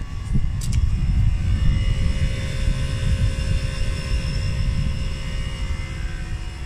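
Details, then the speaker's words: Hyundai Kona Electric 39 kWh on its second rapid charge, with outside temperature around 7–12°C: a continuous low whirring roar of the battery management system cooling fans, louder inside the car than outside. This is unusual compared with the 64 kWh version. "this is now the second rapid charge and yeah I can hear the battery management system fans whirring away I don't if you can in the background very unusual haven't got that at all on the 64 kilowatt hour"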